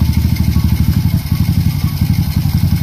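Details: Honda RS 125 after top overhaul, idle screw lowered slightly: steady low idle with even exhaust pulses and no knock or clatter. The earlier lagutok (engine knock) is gone and the engine is healthy.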